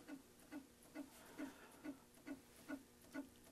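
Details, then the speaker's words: Macintosh Plus powered on: even chirping tick about twice a second, no steady hum; power supply repeatedly tries to start and shuts down. "I hear like the drive or something starting to power up and it's just cycling. So it's almost like there's a power supply problem where the power supply isn't starting for some reason and it's just cycling over and over and over again, trying to start up and then shutting down."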